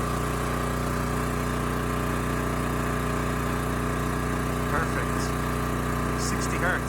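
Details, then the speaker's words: Champion 40026 generator (3000 running watts, 120 V) after carburetor cleaning (rusted tank): steady, even drone at constant speed with no surging, hunting or knocking at half load, about 60 Hz after governor set to 61.5 Hz no-load; runs smoothly. "okay very nice this thing started first pull turn the choke off right away and it ran quite smooth so the engine or the carburetor specifically is now good"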